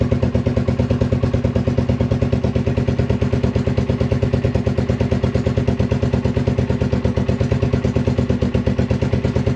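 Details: 1981 Honda XL185 single, engine swapped in from a second bike, after a tune-up with valve and decompression lever adjustment and an oil leak fix: even, regular thumping at steady speed with no ticking or clatter; runs clean and healthy.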